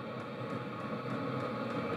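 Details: New portable diesel tent heater powered by Pecron E2000 battery: steady fan rush with faint evenly spaced fuel pump ticks, no surging or sputtering; running normally.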